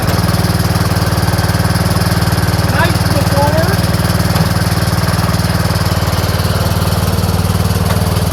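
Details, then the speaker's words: Troy-Bilt Pony lawn tractor after a valve adjustment and unplugging the reverse safety switch: a steady, even single-cylinder thump at about four beats a second with no misses or knocks, running smooth and healthy in forward and reverse. "So now it all works. It's perfect."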